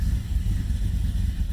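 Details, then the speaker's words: 1990 Camaro, SBC 350 V8 with Vortec heads, Holley Sniper EFI, Flowmaster mufflers, after head gasket replacement, cold after sitting a week: deep, steady low rumble with even beat, idling right where it should, no knocks or misses. "right around where it should be this is cold start hasn't started in about a week"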